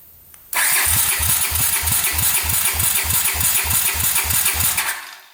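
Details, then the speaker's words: 1981 Honda CX500 after years sitting, compression test with throttle fully open, spec about 170 psi: starter cranks with even, strong pulses about three per second, no weak beats; gauge reads 200 psi, normal cranking compression. "200 that's pretty good that is plenty of compression holy cow that's a ton"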